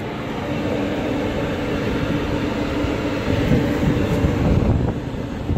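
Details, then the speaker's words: About 14-month-old AAON unit, 1 HP 460V three-phase Baldor fan motor on a VFD, after bearing replacement, panel on: low, even rumble with no grinding or squeal, motor barely audible; normal running. "yeah this is awesome it sounds like an a on unit again can't even hardly hear the motor running with it panel on"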